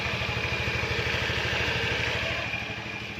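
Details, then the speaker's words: 2012 Honda Vario 110 carburetor scooter, around 70,000 km: even, steady putter at idle with no knocks, rattles or misses; engine sounds smooth and healthy. "Kemudian untuk mesinnya juga masih kempel istilahnya itu khas suara dari Honda ini bisa kita lihat dengan bisa kita Dengarkan dengan seksama ya teman-teman"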